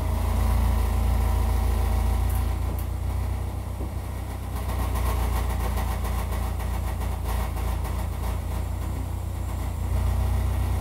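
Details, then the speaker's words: GM Equinox with a seven-year-old muffler at idle: a loud low rumble with raspy, uneven puffing. The exhaust is leaking because the resonator muffler split its seam; it was later replaced with a two-chamber muffler. "so apparently this is what a seven-year-old gm muffler sounds like let's see if we can do better"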